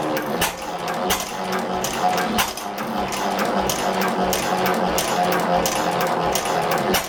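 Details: 1903 Gardner engine no. 3543, single-cylinder, first start after rebuild with a new crankshaft and cylinder, running on petrol: crisp, evenly spaced strong beats with no knock; running well, a bit fast, needs fine tuning.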